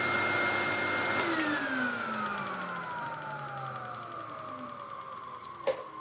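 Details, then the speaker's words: 1991 Siemens Super 914S vacuum cleaner, first run after purchase: motor spins down from a high steady whine to a falling lower tone, unloaded and weak; no suction on soft or automatic, some only on Super, LEDs not lighting; owner suspects full bag/filter or electronics fault. "There's no suction. Nothing. But if you put it in Super, you start to get something."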